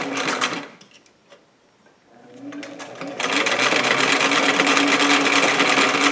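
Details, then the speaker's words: Singer 457 sewing machine after lubrication, cleaning and needle timing adjustment: fast even stitching rhythm with smooth light whir, no knocks or catching; speed improved, stitching tighter, running properly. "call that very smooth I'd say I'm really happy with that the speed of the machine has improved the stitching is much tighter than what it was it's just running so much more efficiently"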